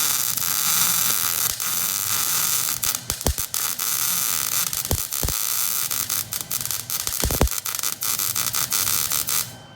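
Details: MIG welding on a 1968 GMC C-20 frame being shortened 3 5/8 inches: even, fast crackling sizzle with scattered sharp pops like frying bacon, "that's the sound you want"; stable arc, wire feed and voltage set right.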